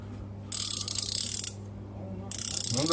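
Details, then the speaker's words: Ratchet (pawl) wrenches swung back by hand: two bursts of fast, crisp, even clicks, one louder than the other, with the pawl catching cleanly each time; the ratchets work fine. "Ну да, вот здесь слышно, что прям трещит. Здесь поменьше. Они по-разному работают. Но главное, работают."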